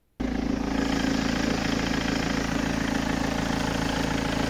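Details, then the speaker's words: BMW diesel with 182k miles, glow plugs and vacuum hoses replaced 3 years ago, MOT advisory for loud engine, drives without knocks: starts and settles into a steady, hard, loud clatter at idle with even beat; cause not determined. "I drove back from Swindon and it actually drives nice enough there's no knocks or bangs or rattles or shakes but on the last mot The Advisory was down saying it had the engine was loud so let's listen to that"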